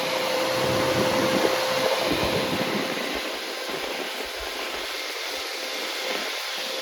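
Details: Freshly rebuilt MG Midget 1500 engine FP42270UE (flat-top pistons, 270 cam, about 9.5:1 compression, 175-185 psi) on its first run: a steady, even hum with no knocks or ticks. Normal running.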